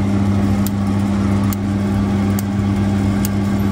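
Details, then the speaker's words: Glow Worm Ultimate boiler not igniting: sharp igniter clicks a little under once a second over a steady hum, no pilot at first, then only a weak flame; blocked pilot injector. "Still just sparking. No pilot coming yet. You can see now we got a weak flame."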